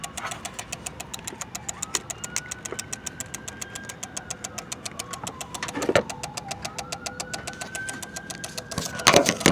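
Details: Car with ignition off: sharp fast steady ticking about five clicks a second from fuse box, a relay chattering; owner suspects it is draining the battery.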